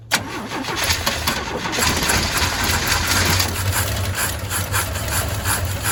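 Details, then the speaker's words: Old Chevy straight-six truck with a 1-barrel carb, ran last week, now dry fuel filter, gas poured down the carb, running from a 1-gallon can: sharp start then long rough turning with no clean idle; suspected unprimed fuel system, described as cold-blooded. "Now, this was running last week, but you know, fuel system's not primed or anything. Let's see if we can't get her going."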